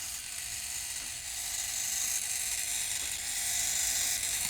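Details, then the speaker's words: Old Futaba RC servo on a servo tester: a thin, high whirring buzz as it sweeps, even with no catching or grinding; the servo works fine. "I would say that that Servo is all right yeah I say that Servo is all right"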